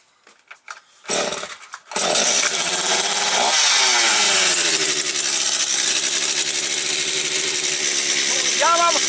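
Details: Stihl MS 250 chainsaw, about two years old, after no-start repair, carb settings untouched: catches on third pull on half choke and holds a steady high buzzing run with no stumbling or surging.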